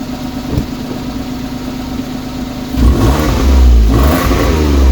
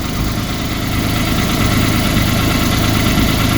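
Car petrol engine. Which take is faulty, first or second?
second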